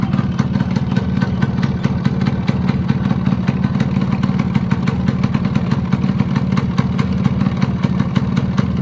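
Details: Yamaha RX100 two-stroke at idle: sharp rapid metallic tapping at steady beat over the idle; piston knock or gudgeon pin bearing suspected, not confirmed.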